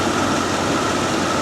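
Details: 1998 Bentley Brooklands R at idle: steady uneven, slightly lumpy rumble under a constant whir; lambda sensor reading 1.27 V (way rich) after restart, owner diagnosing the rich condition; cause not confirmed.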